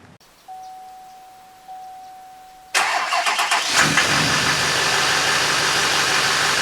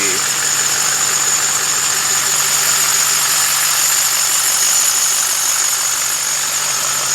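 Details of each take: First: LMM Duramax diesel after replacing serpentine belt, tensioner and idler pulleys to cure a squeak/chirp: after a chime it fires and settles into a steady, even idle with no squeal or chirp; belt noise fixed. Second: LMM Duramax diesel at idle: constant shrill squeak and chirp from the serpentine belt system; belt, tensioner and idler pulleys to be replaced.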